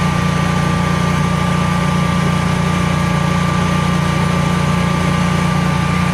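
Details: Generac Guardian 16kW standby generator running on gas after refurbishment, carrying close to 6,000 W of heaters: a steady, even drone with a constant hum that never dips or hunts, healthy under heavy load and not hesitating.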